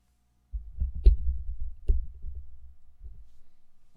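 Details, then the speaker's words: 1989 Macintosh Portable floppy drive during restoration, disk suspected damaged: soft irregular clicks, low thumps of the head stepping and a few firm ticks in a quiet room; the drive seeks and reads normally. "Nope, I definitely hear something reading."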